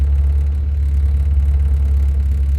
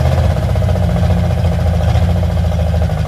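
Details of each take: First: Car just dug out after winter snow, at warm idle with oil pressure holding over 50 psi and water temperature not yet risen: smooth, low, even hum with no ticks, knocks or surging; healthy engine. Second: Carbureted car with a Y-pipe-only exhaust: a heavy, loping idle held at raised speed. The throttle-side idle mixture screw works but the choke-side one does nothing, and it quits quickly unless the idle is up; faulty carburetor, Holley planned.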